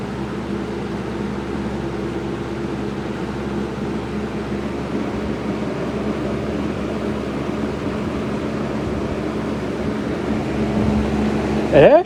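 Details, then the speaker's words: Lasko 6740C box fan on low after cleaning, motor not disassembled or oiled; steady low drone and soft airflow rush, even and smooth, running normally. "it's it spins pretty well for it not having any oil uh given to it"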